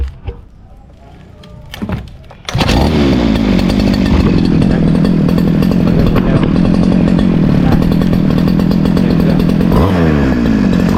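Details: Model 411 brush cutter, about a year old, started after replacing a broken clutch spring that had made the blade spin on starting. A couple of pulls, then it holds a steady, even high buzz, running cleanly.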